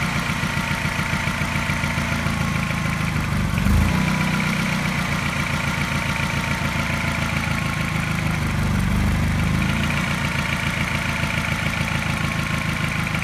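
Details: Mini N12 engine, not cold but not fully warm, after new cat and O2 sensors: fast idle with a regular light tap about three or four a second and a slight pulsing miss in step with it; cause unknown.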